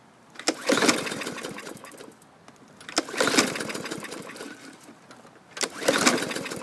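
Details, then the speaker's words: 2018 Hyper Tough 300E 125cc mower, primed and given starting fluid: three pulls, whirring spin with no firing; fluid smelled from exhaust so no spark, plug looks new but possibly dead. "i can smell the starting fluid pouring out of the exhaust so no spark"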